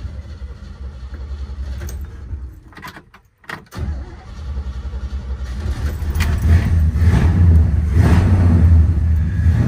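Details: 1967 Pontiac GTO, carbureted V8 with four-speed manual, already started earlier to leave the garage: keys rattle, short crank, then settles into a deep, steady, lumpy idle with no odd noises; normal start and idle.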